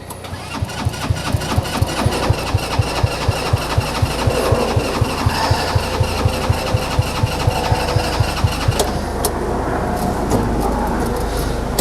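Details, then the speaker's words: TW200 Trail Wagon Runabout 4x2 kids UTV, before carb work: steady cranking at about two compression beats a second for twelve seconds, never catching; owner suspects gummed-up carburetor, a common problem, and plans to pull it. "guys I think that's enough um we're gonna pull that carburetor and that's a it's a common common problem for these things"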